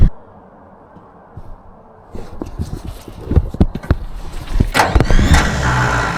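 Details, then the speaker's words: Vintage TD9 bulldozer, battery full and wiring OK: clunks then high free-spinning starter whir without the engine catching; starter spins but doesn't engage, owner suspects worn sprag clutch and plans to shim it. "All right, that still didn't work."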